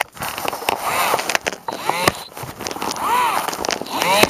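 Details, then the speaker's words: Tekky Toys animatronic Halloween prop whose head turns but won't return: sharp irregular clicks under motor whine as the head twists, from a chipped broken gear not making contact; stripped gear clicking. "that click when it twists? That's the gear that's not making contact."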